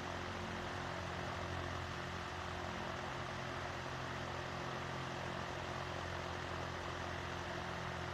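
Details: Vintage Emerson box fan after restoration, reassembled and oiled, running on low: steady, smooth low hum with an even whoosh and no rattle or scrape; healthy.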